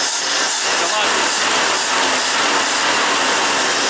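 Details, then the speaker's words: 1986 Ford F-150, after correcting swapped coil wires for cylinders 2 and 4 and replacing the distributor, ignition module and some wiring harness: steady even idle, no skips; all cylinders firing, healthy. "it's a lot healthier now. It was misfiring because the coils were backwards, or the wires were backwards, but it's all good now. Healthy as ever."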